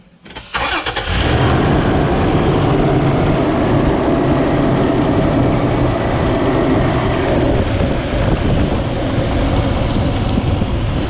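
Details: 2011 Toyota Tacoma 4.0L V6 starts after serpentine belt replacement, catching within about a second and idling steadily with no squeal or chirp; tensioner bearing noted as slightly noisy when spun by hand.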